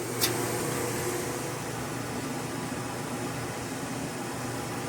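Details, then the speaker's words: Old General Electric gas dryer after repair for no heat and stuck drum: even, steady rush of air with no scraping, thumping or squeal; running smoothly and quietly, normal. "en general con la reparación ya fue un éxito la preparamos porque no calentaba pero aparte porque estaba rellenando la máquina y no está pegado el tambor quedó perfectamente bien"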